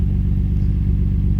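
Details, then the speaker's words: 1991 Nissan Skyline GT-R, heard from the rear exhaust; deep steady rumble with even pulse and no misses; healthy exhaust note. "GTRs are just badass sounding cars don't tell anybody that I said the a word"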